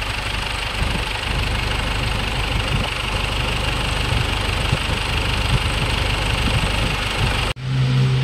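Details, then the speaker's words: 2011 Ford Everest diesel after rocker arm and timing belt replacement; no popping from the air cleaner, which a leaking valve would cause along with hard starting. Steady, even low idle rumble, no knocking or misses, briefly cut near the end. "Pag may singaw barbula nito, hard starting to mga bossing. Tapos may lagapak sa air cleaner. So eto naman walang kalagapak sa air cleaner."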